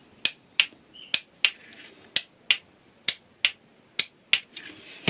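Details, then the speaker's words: Bench-wired motorcycle starter circuit with a 12 V battery, ignition on, as the starter button is pressed: sharp, dry clicks about twice a second, each a clean snap of the starter solenoid closing. The solenoid works. "okay so that means that our starter solenoid is working"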